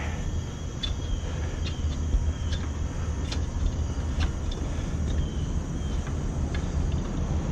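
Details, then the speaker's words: Rooftop HVAC unit, loud: heavy, uneven low rumble with light slapping ticks from the blower, sounds like it's shaking; blower motor drive belt loose and worn, about to break; belt replaced afterward. "I hear the Rumbles at the condenser fan of the blower motor something is not spinning correctly one of my motors is out of whack I think it's the blower"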